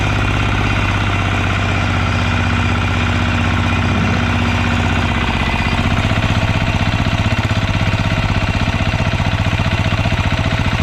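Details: Yağmur YET 300 single-cylinder tiller after repair, previously tipped over, then misfired, stalled and starter would not pull: steady even thumping about four beats a second, no misses or knocks; normal idle.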